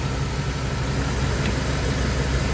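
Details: 1997 Dodge B3500 van, after replacing leaking intake gaskets that caused spongy, fading brakes and oil-cap vacuum: steady, even low rumble with no hiss or stumble; smooth, healthy idle.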